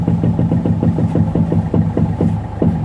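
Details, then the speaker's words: Toyota Etios at idle: quick repeated tak-tak knocking from the shock absorber area while the steering is turned, caused by a faulty bearing on the front strut top mount. "Steering ഇരിക്കുമ്പോൾ ഷോക്കിന്റെ ഭാഗത്തു നിന്നാണ് sound."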